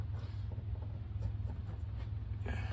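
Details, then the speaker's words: Older Schumacher 12/24 V battery charger that was not charging, set to 24 volts with no load: steady low mains hum, showing power is reaching the transformer. "still got a nice hum from it. So I put it on 24 volts. You can hear it humming a little bit."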